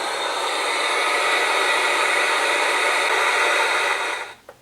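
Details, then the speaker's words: Atari 5200 console powered via switch box with test cartridge, before audio circuit repair: steady loud static hiss with no tone until cut off; noise from damaged audio circuitry. "however you'll hear some static in the audio because again there's problems with the audio circuitry pretty noisy"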